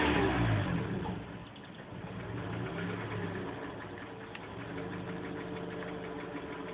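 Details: Inside recording of a VW Golf Mk4 engine revving and settling, with a faint uneven knock of about three taps a second; the cause is unknown.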